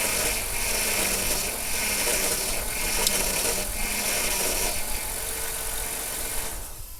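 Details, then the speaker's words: 2002 Chrysler Town and Country idling after a power steering reservoir replacement, with fluid low and refilling with ATF+4 underway: faint uneven pump whine and rattle as the wheel turns, from aeration caused by low fluid. "And it is normal to get some of those sounds we just heard because your reservoir was not full and we took a lot of it out of the system."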